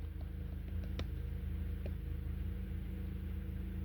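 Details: 2012 Honda Accord 2.4L, warm engine, codes P0302 and P0303 with the check engine light sometimes flashing: an uneven, low thumping idle with a regular stumble every few beats. Fixed by crank pattern (CKP) clear and relearn.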